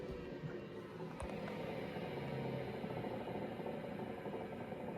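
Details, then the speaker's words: 1984 IBM 5160 XT, about 40 years old: healthy stepper-motor drive, steady whir under rapid even buzzing seek chatter, no scraping or stalls; drive sounds great. "drive sounds great it's a stepper motor drive so you get that me me me me sound out of it"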